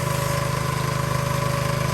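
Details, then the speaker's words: Soft wash system's engine-driven pump after repairing a leaking hose barb on the chemical line, soap at about 1%. Steady, even pulse with no air, sputtering or spitting. Normal running, chemical feed sealed. "I hear no air. No sputtering, no spitting."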